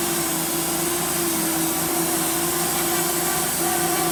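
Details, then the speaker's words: Homemade sawmill cutting a dry 24-inch walnut slab to take the twist out: steady mid-pitched blade whine with a hollow, even hiss because the dry wood is harder to cut; fed slowly, normal cutting. "Right here you can hear as we're sawing, it's a hollow sound coming from the blade because the wood is dry, so it's harder to cut through, but it just is what it is."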